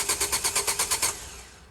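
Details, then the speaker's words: Car cranks but won't start: about nine even cranking pulses, roughly eight a second, with no firing; no fuel reaching the engine. "No, it's not going to start, Bradford. Leave it alone. Go away. Definitely a fuel problem."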